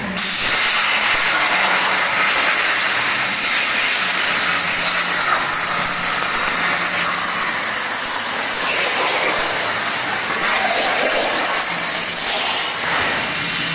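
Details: Hypertherm MaxPro200 on a CNC plasma water table cutting 12 mm plate; loud steady rushing hiss held evenly for the whole cut, no sputter or arc break, normal plasma cutting.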